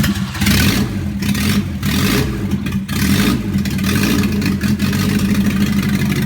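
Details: Volvo 244 DL B21A four-cylinder, first start after overhaul: runs smoothly and picks up cleanly on repeated blips, with an even beat and no knocks or rattles; healthy.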